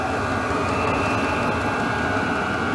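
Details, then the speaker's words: Diesel heater newly installed in an RV (backup to a 1994 propane furnace), 12-volt, running after startup with the pump rate likely turned all the way up: loud steady jet-like roar with constant hiss, no knocking or surging; heater running normally. "But I hear the pump, which is a good thing, which is what I was expecting to hear. And I think that's just going to gradually get faster and faster until this thing starts pumping out heat."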